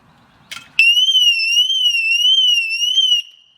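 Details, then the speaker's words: 2006 Mercedes-Benz W211 E350 4matic siren alarm unit, unplugged while removed: loud high wailing tone sweeps up and down, sounding on its fresh internal backup battery. "and now if we unplug it it's going to go off oh God damn it and it's going to be loud as too yeah and it's going to go for a while cuz that battery's fresh"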